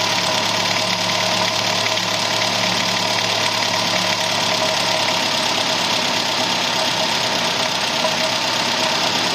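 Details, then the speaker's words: Idling petrol engine with a fast, uneven clicking over a bright, hissy running sound; owner suspects water pump bearing, valve lifters or timing chain, cause unconfirmed. "hey Gearheads I'm chasing down a mystery noise in my engine and I need your opinion do you think it's the water pump bearing the lifters or maybe the timing chain drop your guesses in the comments below let's solve this together"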